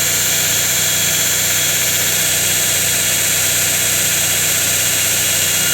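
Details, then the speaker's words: 2x72 belt grinder running: a constant high belt hiss over a steady motor hum with no wobble, flutter or rubbing; the belt tracks well and runs smoothly, normal. "so yeah we're back up and running again nice and smooth clean no wobble like that thing's not going going like this it's tracking"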